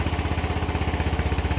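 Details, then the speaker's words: Yamaha NMAX V1 scooter after the clogged fuel injector was dealt with and refitted to the throttle body: starts and settles into an even, quick putter of about fourteen pulses a second, a clean, healthy idle. "Ngayon, subukan natin. Ayan oh. Ayun, okay na. Ayon, ayos na."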